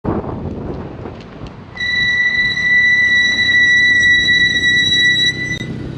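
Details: 2G Mitsubishi Eclipse GSX with Brembo brakes and Hawk metallic pads: loud, steady high-pitched squeal during a gentle stop; swapped to StopTech Posi-Quiet semi-metallic pads.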